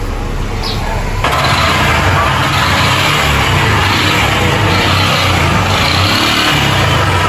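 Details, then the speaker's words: Motorcycle single running rough and misfiring: uneven knocking about four a second; cylinder found scored and very hot, new Metal Leve piston kit to be fitted. "Tá um barulho mesmo. Terrível. Tá um barulho lá de fora. Deu pr escutar."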